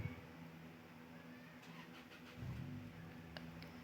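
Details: Honda with check-engine code 3 (MAP sensor), previously cranking with no start, after repair; catches after a short crank and settles into a steady, even low idle with no misfire or stumble; running normally.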